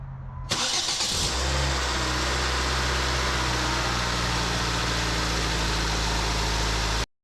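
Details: 2006 Nissan Sentra after cooling system overhaul for a suspected water pump or idler pulley bearing noise, refilled with blue coolant: starter catches quickly and it settles into a steady, even idle with no squeal or bearing rumble; healthy.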